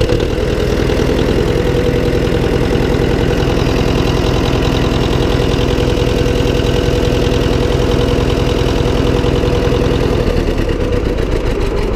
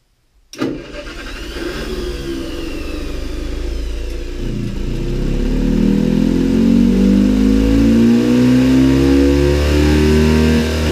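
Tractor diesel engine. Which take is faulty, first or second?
first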